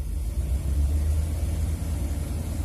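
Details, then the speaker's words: Old Dodge van at idle, coil wire found arced rubbing on kick-down linkage: low uneven rumble with occasional stumble, not valve-type; misfire, suspected spark plug or coil, possibly burnt exhaust valve. "Yeah, it's got not a valve type of miss. So I'm guessing either a plug or first guess is a plug, could be coil, and very well could be a burnt out exhaust valve."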